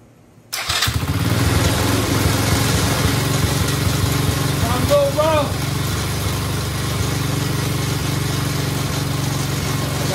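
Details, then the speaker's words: Coolster quad revived after fuel repair: short crank, catches and settles into a steady even small-engine idle with no misses or knocks; runs fine. "go oh yeah switch fell and cut off but i was going to cut off anyway so boom we got ourselves a working vehicle"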